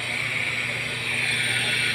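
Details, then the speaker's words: Exhaust fan motor (6203 bearing) before repair: harsh, grating grind with a high scratchy edge over the motor hum, from a dry, worn bearing. After cleaning, the motor ran quiet. "So imagine kung yung ingay na yun kanina may propeller sobrang nakakangilo talaga siya eh"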